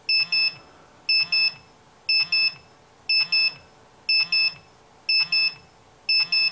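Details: Radiation detector gives evenly spaced double beeps about once a second. It is reading a 1950s Rolex watch whose hands and index marks carry radioactive lume.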